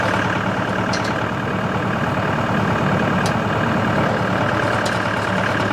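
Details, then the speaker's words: Tractor running a CountyLine PTO post hole digger with a 12-inch auger boring hard clay. Steady engine under even PTO load with no knocks, grinding or labouring. Normal post hole digger operation. "alright guys this thing worked flawlessly it worked really nice"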